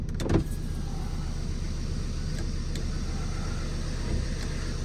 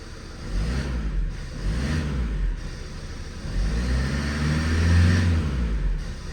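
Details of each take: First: New project's diesel, after a boost-pack jump on a weak battery, starts and settles into a steady, even idle with no misses or stumbles; running a lot better, normal running. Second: Project van's diesel: the rumble swells and falls with throttle blips but the sound lags each pedal movement; owner suspects the intercooler, unconfirmed; delayed sound response to throttle.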